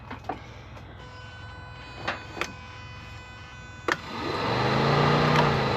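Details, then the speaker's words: Subaru WRX rallycross build (STI 6-speed swap, fully built motor, aiming for 500hp), key turned only to prime before first start: a few quiet clicks, then a steady electric hum; fuel pump priming normally, though something then blew. "I'm just going to try to prime prime it."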